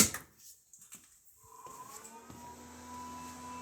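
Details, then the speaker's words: Tesla-battery Jeep Brusa charger after reconnecting its fan bullet connectors, plugged in to charge: soft steady whir with faint constant tone, the loud cooling fans running normally; charger later stops charging early and faults. "that noise you hear is music to my ears that is the bruce of fans they are really loud but i think that's okay because it lets me know that something's happening that's pleasing to me"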